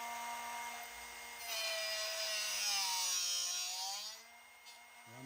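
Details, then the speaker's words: Drill bit sharpening machine set to a 135-degree angle, with the bit rotated by hand and not pushed down; high hissing grind that swells and fades as the bit turns, finishing when sharpening is done; normal grinding. "And just keep rotating. And you'll hear it when it, the grinding is finished on the drill bit itself."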